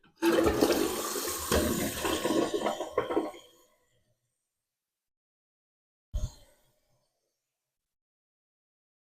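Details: Toilet after fill valve replacement and fill level adjustment (old valve hissed, wouldn't shut off): strong rushing flush drains away within about three seconds, then quiet apart from a short gurgle; flushing normally, no hissing.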